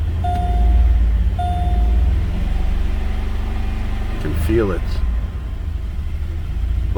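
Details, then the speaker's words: 2006 Chevrolet Malibu 2.2 Ecotec four-cylinder, flashing check engine light, P0300, plugs already changed: lumpy, uneven stumbling idle about four beats a second, running on two or three cylinders; cylinders 1 and 4 misfiring from a failed ignition control module. "it's running on three cylinders or two cylinders there goes the flashing check engine light"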